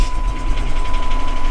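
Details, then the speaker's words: Salvage-auction car with 96,000 miles, no airbags deployed, check engine light on: steady, even low idle with a faint constant tone and no knocks, misses or ticks. The engine is running very well. "It's listed as a run and drive. No airbags deployed. It's actually running very well."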